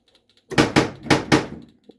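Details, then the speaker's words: Prewar 1935 Rock-Ola Big Game pinball, trigger hole test in quiet basement: four loud solid knocks about a quarter second apart, earned with a jaguar and an elephant; the knocker fires cleanly as it should. "oh that's freaking cool it knocked four times because i've got a jaguar and an elephant"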